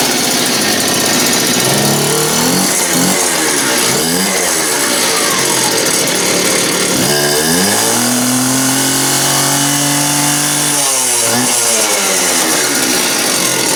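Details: Just-rebuilt two-stroke cut-off (quick cut) saw on its test run: it revs up and back down cleanly with a sharp buzzing note and no misfire or bogging; running fine.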